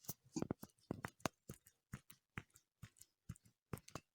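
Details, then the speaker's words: Hover H3 front suspension lower ball joint, removed and rocked by hand: sharp irregular clicks and knocks, fully worn after under six months; cause of creaking and grinding when steering and over bumps, gone after replacement. "Если слышно, такие стуки у нее. Все, вся изношена."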